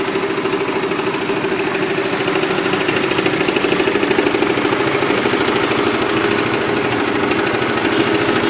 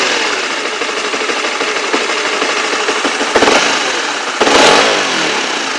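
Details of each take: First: Motorcycle, clatter present nearly a year; loud rapid mechanical clatter about three knocks a second while running, traced to wrong engine oil viscosity, not tensioner or cam chain; before oil change. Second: Honda CB/CBR-type motorcycle after the klotok knocking was fixed; oil was suggested to check before replacing the tensioner or cam chain. Two clean throttle blips settle back with no knock or clatter, and a normal deg-deg idle beat.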